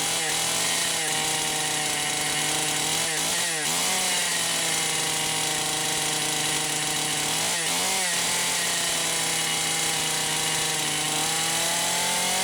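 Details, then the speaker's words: Poulan Pro 525 chainsaw (essentially Pioneer P52), no load, no bar in wood, mixture about 1⅛ turns open, possibly lean: high steady scream stumbling and sagging twice about four seconds apart; carb governor cutting in. "Alright, yeah. I can hear the carburetor governor kicking in. I think you guys can hear it too."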